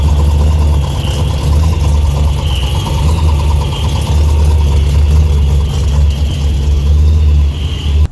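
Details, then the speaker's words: Ford Lightning truck after exhaust work, O2 sensor and plug change: loud steady engine drone with a constant metallic rattle; bell housing rattle, owner assumes torque converter, transmission shop unsure. "there is a really loud noise coming from the bell housing, which I'm assuming is the torque converter."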